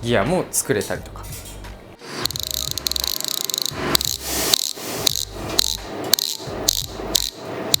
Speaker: 乗り物好きとして言いますこのフリーギアが空転する音が好きです気分が高揚しますフリーギアの音が大きいと気持ちも高まります